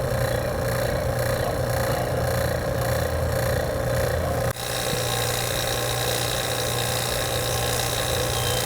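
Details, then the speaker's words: Vacuum pump evacuating a new AC system via 3/8 hoses and angle shutoffs after nitrogen leak test, read on micron gauge: steady even hum and smooth motor whir, no knocks or rattles; running normally. "And I got my blue vac over there. So we'll be able to turn it on and see what we get. Pull the vacuum down. Should pull it down pretty easy."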